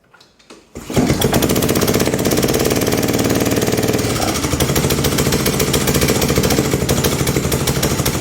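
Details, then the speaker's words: Pubert wheeled brush cutter with Honda GCV160 engine, low power and stalling under load: busy, uneven rapid clatter over the small single's running note; excessive valve lash from a broken exhaust valve rocker arm. "Bueno, no sé si se aprecia muy bien en el vídeo cómo suena, pero suena realmente raro."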